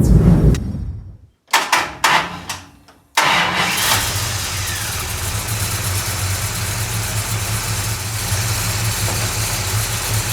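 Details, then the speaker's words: 1969 Dodge Charger after ignition troubleshooting, since the distributor sparked only out of the block: cranking stutters twice, then the engine catches and settles into a steady, even idle with no misses. It now starts and runs normally. "well that was not the plan for the day but it's working and that's good"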